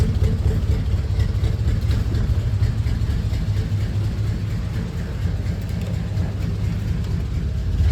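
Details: 1940 Ford Tudor flathead after welding on new tailpipes from a kit, not yet cut to length: deep even exhaust thump, no hiss or leak puffing, exhaust sealed; normal exhaust note.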